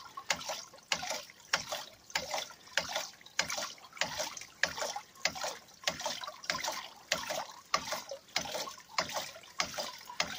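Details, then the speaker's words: Restored Douglas hydraulic ram pump (bélier), running despite a leak and a taped valve: regular splashing thumps about 97 per minute with clean waterhammer snap, even beat; normal cycling. "le bélier fonctionne quand même. Ce sont des béliers qui ont vraiment très très bon caractère, hein."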